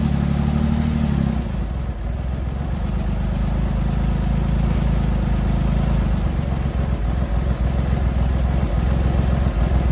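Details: Triumph Hurricane X75 triple after the rebuilt carbs were refitted, started on half choke: a low, even burble at tick-over with no misses or stumbles. All three cylinders fire cleanly; the throttle stop screw is not yet set, so it later stalls.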